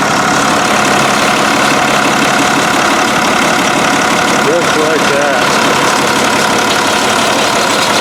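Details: Barko 612 diesel after clearing rubber from the fuel filter housing: steady idle, even clatter with no misses or knocks; the engine sounds healthy.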